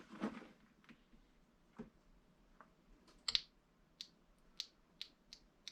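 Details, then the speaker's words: 2014 Nissan Rogue whose engine skipped and sputtered like a misfire on starting. VVT oil solenoid bench-tested against good ones: this one gives sharp, uneven snaps, clicks and crackling sparks, sticking, faulty. "oh yeah oh this one does is sparks let's try to push it back oh yeah that thing's like stuck oh yeah"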